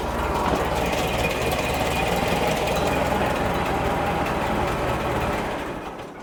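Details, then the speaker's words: 1960 Massey Ferguson 35 gasoline tractor running after oil change and maintenance, fuel line still disconnected, running on carburetor bowl fuel; steady even idle with busy mechanical clatter, no standout knocks, oil pressure rose quickly; normal running. "everything sounds good so far. Oil pressure went right up."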